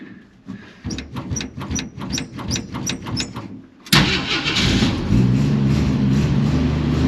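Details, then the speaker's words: 1946 Studebaker M5 pickup with AMC 258, cold spring start at 70°F: several seconds of uneven cranking, then runs cold and lumpy; carburetor is off and stumbly, cold-blooded. "You can see, like I said, that carburetor's off stumbly. I ran it that way las"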